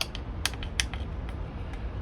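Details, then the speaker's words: 1972 Suzuki LJ20 two-stroke engine on the bench, number two carburetor side: diaphragm that should be rubbery is crispy, dry irregular crackling clicks when flexed; intact, no cracks or holes. "These are supposed to be like rubbery and flexible and they are just like you can hear"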